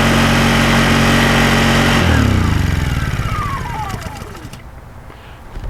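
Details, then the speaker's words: Newer Honda portable generator tilted on a prop to exaggerate low oil: steady engine drone starts sputtering, then the pitch falls away to a stop as the oil alert shuts the engine off to protect it. "In a little bit you'll hear it start sputtering a little, and pretty soon it'll shut off."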